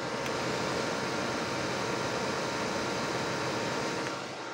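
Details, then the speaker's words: HP desktop PC not booting after long disuse, red light blinking; fan runs at full speed with a steady loud rush that never settles; dirty RAM contacts were the cause. "ये HP का CPU है और इसके ऊपर fan की जो speed है वो बहुत ही तेज है मैं आपको सुना देता हूं एक मिनट"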